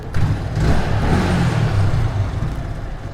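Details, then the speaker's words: Yamaha motorcycle that stalled repeatedly and won't self-start, engine noisy for two days: rough, uneven running with a loose rattle as the throttle rises; the whole engine flutters inside, cause unclear. "Engine में आवाज़ आ रही है, check कर लेना। Engine से आवाज़ आ रही? हाँ।"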